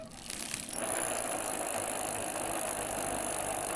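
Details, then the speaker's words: 1995 Barracuda Dos Equis XX Comp mountain bike, rusty and corroded: spun freewheel gives a dense, gritty grinding rattle, like grinding coffee, instead of clean clicking; worn freewheel needing replacement. "Sounds like it's grinding coffee. That's not nice."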